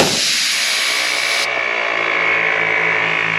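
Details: Jeep-mounted ARB twin air compressor running with the engine on, after its fried Maxi-fuse holders were replaced with Redarc 40 A units. Strong, steady rush of air from a fitting over a low motor hum; it delivers air normally.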